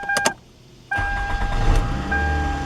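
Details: 2003 Toyota Camry after starter replacement and throttle body cleaning (had been running rough): brief starter whir, then engine catches cleanly and settles into a steady, even idle with no misses or knocks; normal start and idle.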